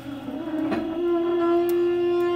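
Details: Passenger-side ram of a car lift gives a loud, steady horn-like groan while lifting a car, only on the way up; driver-side ram quiet; fixed by manufacturer with a new ram.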